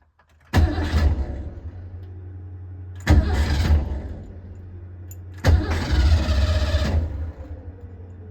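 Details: Engine with Edelbrock Pro-Flo 4 fuel injection: three one-to-two-second bursts of steady cranking that never catch; cranks but won't start.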